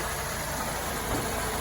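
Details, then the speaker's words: 2004 Mercedes SLK 230 automatic, 55,000 miles, heard with the bonnet up: even, steady idle with a smooth hum and no knocks, ticks or rattles; normal idle. "And now you can hear it running. I'm sure you can appreciate there are no grumbles or anything like that."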